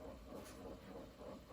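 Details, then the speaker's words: Akai GX-R88 auto-reverse cassette deck playing a tape: low rough scratching hum pulsing about five times a second from the transport; grinding traced to a bad idler tire. "I think this will be due to warm idler or maybe something else."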